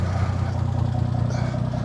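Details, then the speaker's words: 1980 Plymouth Volare slant six, sat for years, now running: a low, smooth, even idle with a steady rumble and no knocks or misses; normal idle. "it just runs. It purr. Listen to that leaning tower of power."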